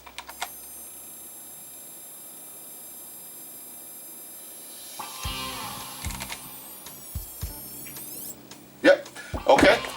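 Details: Philips/Magnavox 39ME313V/F7 39-inch LED TV with no power gives a steady, piercing high-pitched power-supply squeal while plugged in, from a short loading it.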